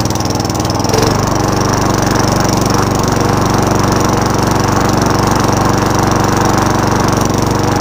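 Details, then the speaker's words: Free Craftsman Eager One 3.5HP mower, restarted after sitting a long time (water was in the carburetor): single-cylinder engine racing at a fast, steady idle well above normal; high idle problem, heavy smoke on first start. "so let's start this one up there's all there's so i mean and there's this high idle problem"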